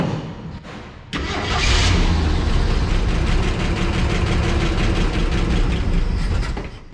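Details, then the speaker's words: 1965 Ford F100 six-cylinder, first start in about ten years after spark test: cranks, catches, settles into steady, even idle with no knocks, ticks or leaks; carburetor bowl not filling, carb may need cleaning. "but she runs pretty good. No strange noises, no knocks, no leaks."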